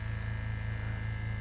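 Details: Vintage oil-filled arc welder restored and powered from a generator (about 250 V AC in, 89/58 V out), idle draw climbing from 480 W to about 1100 W with the oil bubbling: steady low mains hum, slight buzz, no arcing. Normal transformer hum.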